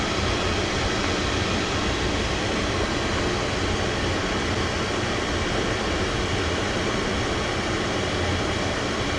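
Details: Oil-fired furnace burner at -15°F after no-heat call, restarted after low fuel tank let air into the fuel line: loud, even roar of fan and flame, steady without sputter, while air is bled from the line at the pump; may trip offline during bleeding.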